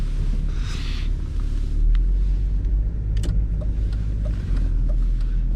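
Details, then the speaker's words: Pre-facelift BMW E39 525tds diesel cold start in winter: steady low rumble settling into even idle, no misfire or stumble; healthy normal diesel idle. "I want to be able to hear how this one starts beautifully"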